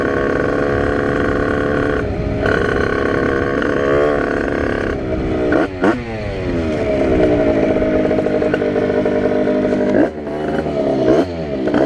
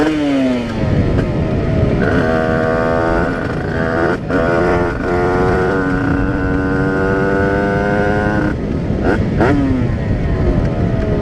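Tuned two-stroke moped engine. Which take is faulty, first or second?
first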